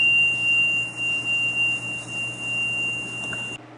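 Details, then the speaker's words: Key on, engine not running: thin steady high resonant whistle for over three seconds then cuts off; believed to be the electronic throttle body, not confirmed. "The electronic throttle body sometimes will make a racket like that. Even with the key switched on, engine not running, it'll make that resonant whistling n"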